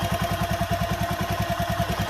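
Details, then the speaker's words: Honda Megapro single-cylinder, engine still cold at idle: a light metallic chatter over the even thump from the worn timing chain, louder when hot despite tight valve adjustment; it was replaced with a GL Pro CDI chain. "Ini masih dingin Kang Bro, belum panas. Kalau misalkan panas gemerciknya tambah keras."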